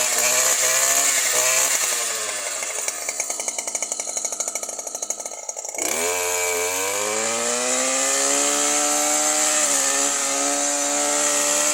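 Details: New Stihl FS 120 two-stroke brushcutter that stopped starting after break-in, now running with the faulty spark plug replaced: it revs up cleanly, then settles into a smooth, even high-pitched run with no misfire or hunting. Normal running.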